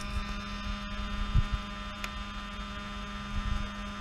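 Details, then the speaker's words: Repaired Mercedes V12 electronic throttle body with the ignition on and the engine off: a steady, even low hum with no chatter while it does its learning. Normal. "it's gonna do the learning that's it so next unit same here as you can see nice and healthy hum"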